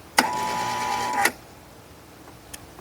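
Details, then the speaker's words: Kustodian Plus lane machine squeegee up/down motor: a one-second strained hum, then a clunk, as the motor is energised but fails to turn. The enable relay clicks and the motor runs only intermittently; traced to a poorly patched, taped wire splice. "Didn't run. The motor's trying to run. I can hear it try to turn."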